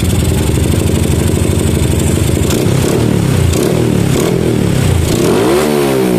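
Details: Yamaha Jupiter MX with PE28 carburetor, previously hard to start, after jet setting: single-cylinder fires and revs freely, picks up cleanly and settles back without stumbling; carburetion sorted.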